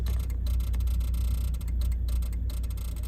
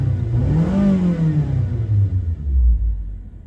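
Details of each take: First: Suzuki Grand Vitara idling: rapid, uneven relay clicking near the glovebox and 4WD lamps flickering, only with the engine running; suspected ignition (plugs/coils) interference on the electronics. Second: Suzuki Grand Vitara, which had flickering 4WD lamps and a relay chattering near the glovebox while running; after fitting good iridium spark plugs, the petrol engine is blipped four times with clean revs and no relay clicking.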